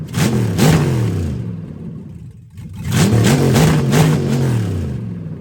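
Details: Turbo LS-swapped Fox body Mustang, first run after new AN fuel lines and fuel pump, open exhaust: loud, deep, lumpy V8 burble with two sharp revs dropping back between them, runs cleanly, no leaks; normal running.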